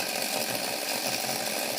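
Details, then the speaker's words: Hornby OO Flying Scotsman model locomotive, motor serviced, seated on the rolling road; steady, even high-pitched whir with no stutter or catches, connections fine; normal running. "So it runs fine on the rolling road when connected. So there's no issue with any of the connections"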